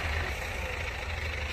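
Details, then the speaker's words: 2012 Chevrolet Captiva Diesel FL that broke down repeatedly on biosolar diesel, fuel lines suspected: the engine shakes violently, revving as a heavy, rough, lumpy drone and emitting black smoke, from contaminated fuel. "Mesinnya bergetar sangat hebat. Bunyinya kasar dan juga mengeluarkan asap hitam."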